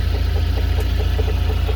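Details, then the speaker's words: UAZ at idle: steady low idle with sharp evenly spaced knock about four to five times a second, seeming closer to the driver's side; cause unknown. "появился вот такой стук Надеюсь будет слышно"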